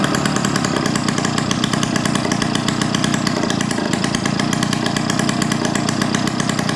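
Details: 1971 Yamaha Mini Enduro two-stroke, after clearing an acorn piece and dirt: high raspy buzz at steady revs, much louder and harsher than it should be because the muffler washer O-ring was left off. Exhaust leak at muffler joint.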